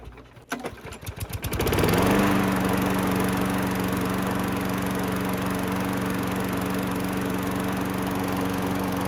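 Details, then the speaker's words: Craftsman self-propelled mower after an engine replacement: starts after a few pulls and settles into a smooth, steady hum with an even firing beat; runs clean and healthy. "This thing came out really good, really happy with the results. Definitely make somebody a decent mower. Runs awesome."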